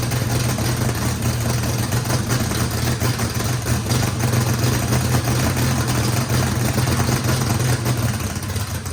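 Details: First start of a race V8 with a radical camshaft, likely big overlap and lobe separation, throttle blade about six percent open to idle: deep, choppy, uneven loping beat with no misses or knocks; normal healthy lopey idle.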